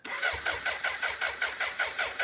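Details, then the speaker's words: BMW K100 cafe racer left outside and in a barn for about three years, on a jump pack: fuel pump whirs as if sucking grit, then even starter churning about five strokes a second, quickening, not yet firing. Cranking, no start. "That was the sound of a petrol pump coming to life. That is the fuel pump. I mean, it sounds like it's sucking grit and gravel, but that was a fuel pump."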